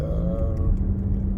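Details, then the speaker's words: Mercedes-Benz CL500 C215 with ABC suspension while driving: steady low drone hum at around 1500 rpm over the engine; source not yet identified, to be looked at. "I think it has that um issue with the I'm not sure what it's called but it's got like a hum at around 1500 rare"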